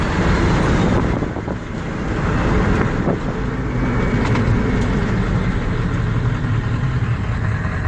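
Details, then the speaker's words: Ford 7.3L Power Stroke diesel that intermittently loses power and boost, sets the check engine light and stalls when slowing. Deep, steady, even clatter at idle right now; owner suspects the camshaft position sensor. "there we go all right so there's the check engine light and as soon as uh slow down here it's gonna stall out on me so pull over right here there we go engine stalled out"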